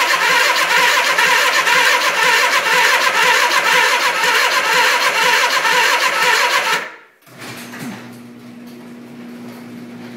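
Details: 1979 Suzuki GS425L, first start attempt after carb rebuild, fresh gas, battery charged only two hours: starter turns sluggishly about two beats a second, no firing; crank no start, owner suspects fuel/reserve setting or weak battery.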